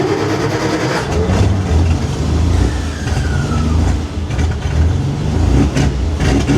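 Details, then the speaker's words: Dodge L-head flathead in a vintage off-road wrecker, first start after installing EFI with a MaxxECU Mini, a high-pressure fuel pump and a fuel return line. Steady low even rumble with no knocks or misses; sounds good. "I'll start it up. Sounds pretty good."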